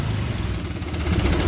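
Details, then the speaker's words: Honda Karisma motorcycle, before replacing the leaking fuel tap, throttle lowered: low, choppy idle that sags, then picks back up over a couple of seconds. The leaking tap is the cause. "Nah ini kan enggak mau langsam kan enggak mau langsam kondisi mesin itu kayak terasa berebat-bbet"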